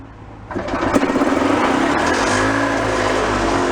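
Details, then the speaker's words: Mid-1980s EZGO golf cart engine, rebuilt after low compression, running on premix: revs in uneven blips kept alive on the throttle; letting off the pedal cuts the spark so it dies. Runs lean, needs some choke; suspected carb issue or leaking crank seals. "when you let off the pedal all the way it just shuts the spark off so it dies"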